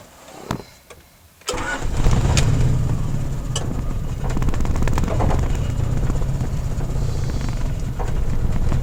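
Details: Honda F22A1 petrol engine starts after a couple of cranks, then settles into an uneven, lumpy idle with unsteady pulsing and a rev blip; rough idle, cause unknown.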